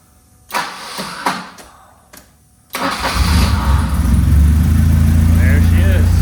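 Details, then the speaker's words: Manual BMW E30 318i that only runs with the fuel pump jumped and has no throttle response. A few clicks, then the engine catches into a deep, loud, booming idle drone because the muffler is blown out on the bottom; the rest of the exhaust is intact. "it's a little loud the uh Mufflers blown out on the bottom but the rest of the exhaust is intact but he's running"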